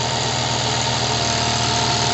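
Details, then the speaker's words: Single-acting twin-cylinder high-speed live-steam engine at 3–4 bar, steam near 140°C, being re-accelerated and slowed: fast, even hiss and chuff with no stumbling or knocking and no torque problem. Normal running. "Je réaccélère. Je ralentis. Je réaccélère. Je pense que j'ai pas de problème de couple à ce moment-là. Ah non, j'ai aucun problème de couple."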